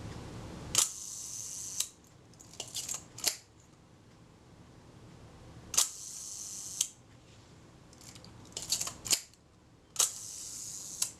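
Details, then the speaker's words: Kodak Retina Reflex type 025 camera during servicing, film release being adjusted. Crisp shutter clicks in sharp bursts, but the quieter second click of the film release is missing; release adjustment is off. "there are two clips when the film release works there are two clicks and I'm hearing the first click but not the quieter second clip"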